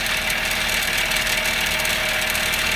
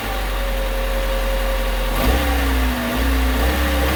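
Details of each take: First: 2000 Honda Civic idling, with a fast tinny buzzing rattle from a loose, vibrating nut on an exhaust heat shield under the car; the planned fix is a gear clamp; exhaust heat shield rattle. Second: 2000 Honda Civic after a gear clamp was tightened around the rusted exhaust heat shield: the engine blips twice and drops cleanly back to a steady idle, with no metallic rattle on the revs; normal revving.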